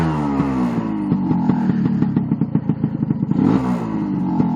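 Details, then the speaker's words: New two-stroke engine being run in, rich screw turned out to two turns: blips up and drops back to tickover with a ragged, popping burble; owner suspects it may be running slightly rich, not confirmed. "can you hear it that means that it's getting the cooler than cooling than it needs and that means it it it might even mean it's running slightly rich"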